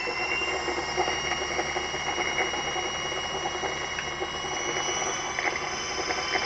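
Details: Electric motor after maintenance with new bearings and seals, running in reverse: a smooth, even whine with steady high tones and no knocking or grinding. The motor is running cleanly and normally.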